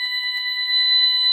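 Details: Ademco 6128 keypad, burglary zone 08 alarm active, keypad audibly stuttering: loud continuous high-pitched electronic tone with a few chirps at the start, steady throughout, display showing alarm 08.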